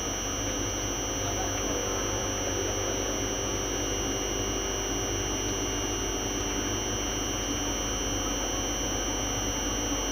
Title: Contractor Humming Sound